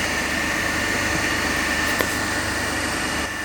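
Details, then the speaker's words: 3-phase induction motor coupled to DC compound machine in lab, balanced 230 V per phase supply, no load: even steady hum with constant high tone, no knocks or surges; normal no-load running. "So so now we are running the motor as a 3-phase only, and we are taking the reading under that balance condition, okay, without load."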